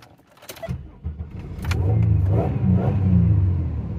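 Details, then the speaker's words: Car after reconnecting wires and refitting screws during an engine misfire fix: engine catches and settles into a steady, even low idle with no stumble or skipping; running cleanly, normal idle. "look at that she sounds like she's working"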